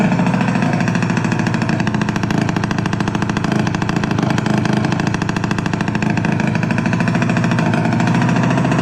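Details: Piaggio Liberty 50 two-stroke air-cooled scooter, sat two years not starting, now idling after cleaned plug and fuel primed, exhaust off: loud, crisp, rapid even crackle, no misses; runs fine, just loud with no exhaust.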